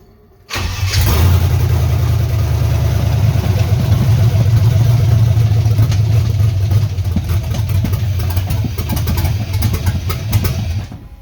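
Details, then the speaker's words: LS-swapped 1979 Ford F150 dump truck, just started, cylinders possibly flooded, misfire suspected near cylinder 2: lumpy, uneven loping idle that won't smooth out, running awful — misfire, cause unclear. "That's just running awful. Don't you love it when you try to make things better and they just get a little bit worse?"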